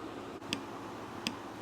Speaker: That click, that click is what you want to hear so you know you got it seated.